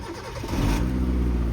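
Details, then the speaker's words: 2007 Hyundai Santro Xing XL 1.1 L (1086 cc) petrol: short crank, catches cleanly within a second and settles into a smooth even idle; no starting trouble, healthy start. "చూసుకోవచ్చు. Starting trouble అయితే ఎటువంటి trouble అయితే లేదు sir. Engine perfect ఉంది sir."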